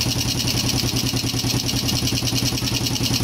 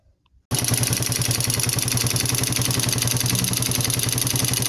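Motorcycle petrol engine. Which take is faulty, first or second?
second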